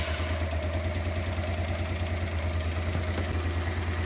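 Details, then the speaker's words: Honda Transalp (around 1996) V-twin after setting both carburettor pilot mixture screws to factory 2.5 turns: low, even idle with steady beat, no stumbles or misses; normal idle. "as you see now from the gauge, but from the sound also of the engine, our engine now works fine. I would say perfect."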